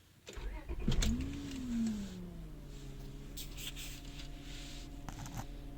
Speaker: All right, so I have this 1999 Honda Accord and it's making a whining sound coming from the engine. And I've already had the alternator tested and it came back good. So I have no idea where this is coming from, but I'll start it and let you hear it.